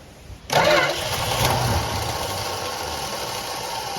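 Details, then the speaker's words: 1966 Plymouth Fury III Poly 318 after carburetor replacement: steady starter cranking, engine turns over evenly but doesn't fire, fuel only just reaching the fuel filter; cranking no start, no fuel. "It's just now getting fuel to the fuel filter. Just crank it over a few more times."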